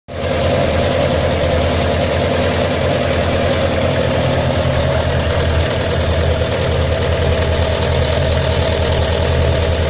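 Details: 2008 Suzuki GSX-R1000 K8 motorcycle engine with only 1,400 km, idling with a light, persistent ticking: excessive looseness between the cylinder 3 and 4 connecting rod pins and their bushings, caused by incorrect bolt torque and tightening order.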